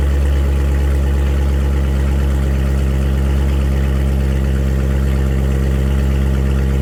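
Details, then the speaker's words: 2015 Corvette Stingray V8 after repair of a broken rocker arm that had caused a horrible knock: deep, steady, even rumble with no knock or tick. The engine is running smooth and healthy. "all right sounds good I don't hear any knocking from under here engine sounding nice and smooth"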